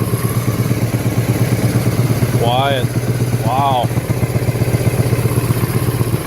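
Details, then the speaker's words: Steady single-cylinder thump at about four beats a second from a 1984 Kawasaki Prairie KLT250 barn find, first run in years; no tick or knock, idling healthy. "I mean that motor doesn't even have a tick to it that's crazy"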